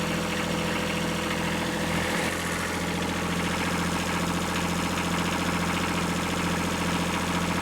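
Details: Kubota B7100 diesel tractor in freezing weather, new cheap group 51R battery installed, idling while the dynamo charges and voltage climbs to about 14.0–14.1V; steady, even diesel clatter, no misses, knocks or hunting: normal idle.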